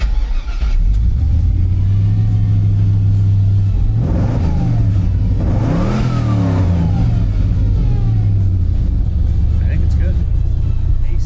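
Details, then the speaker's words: Restored 1970 Chevrolet Monte Carlo on its test drive, cruising at 60 mph, 180 degrees, charging, 40 psi oil pressure: low, steady, smooth engine drone with no knocks or misses, just purring. "Easy cruises. 60 mile an hour, just purring."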